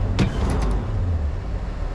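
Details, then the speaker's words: Brother's K5 Blazer V8, not yet warm, with custom flex pipe exhaust, getting ready for trail running: a short throttle blip with a brief snap, then a deep, even rumble settling back to idle; runs like a top, healthy and clean. "there she goes runs like a top it just has power"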